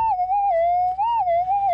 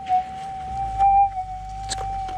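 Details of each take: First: Minelab GPX 5000 metal detector on factory presets: loud, clean warbling tone swelling over a quiet threshold; clear target signal, dug up as a fairly large dozer chip. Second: GPX 5000 metal detector with gain turned up to 17, ground balancing poorly: the target is louder, but a steady drone carries repeated crackles and warbles. Excessive gain makes the threshold noisy.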